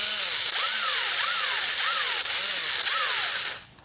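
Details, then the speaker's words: DeWalt 1/4-inch impact driver, long-used: high, rough grinding over the motor whine with a warbling surge about three times a second; owner thinks the gearbox is about to fail, not confirmed. "It just got to where I think the gearbox is just about to shell out, and you can hear it kind of grinding."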